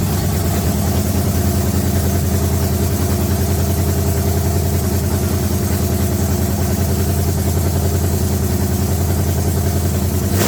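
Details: S-10 with freshly swapped engine, no radiator or alternator yet, steady deep idle, slightly lumpy, pulsing about three times a second; sounds untuned, ignition timing not set because the timing light isn't working.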